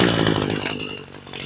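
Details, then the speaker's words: Homelite weedeater after carburetor replacement and slightly raising the idle screw; small two-stroke catches and settles into a steady even buzz, idle slightly high and flattening at the top, but healthy. "It starts up real good now. Maybe a touch more. Sounds like she's getting the use turned up just a touch on the high side. It's idling good, but you can hear it flattening out at the top."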